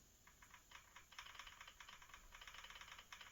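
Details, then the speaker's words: Holmes Hobbies 2-in-1 2300kv CrawlMaster motor installed in an RC4WD TF2 '87 Toyota Xtracab; 32-pitch spur and pinion rocked back and forth give a light plastic tick-tock, no binding or grinding: correct gear mesh backlash. "That's what I mean about the tick tock. So that'll that'll that's that's probably perfect mesh right there."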